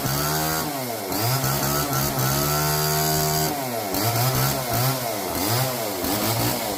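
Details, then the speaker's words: Old neglected Homelite chainsaw revived from seized, now with bar, oil and loosened chain, cutting kindling: revs surge up and fall back repeatedly, never settle to idle; runs rough, could use tuning, cause unconfirmed. "well conclusion runs don't run great could use a little tuning don't want to idle really cut okay"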